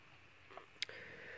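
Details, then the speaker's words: 1991-95 Ford Escort LX cooling fan relay test: after removing the relay's ground input the fan comes on; on reconnecting, one crisp click as the relay switches off properly. "let me put that around back in there we can hear the really click to the off position"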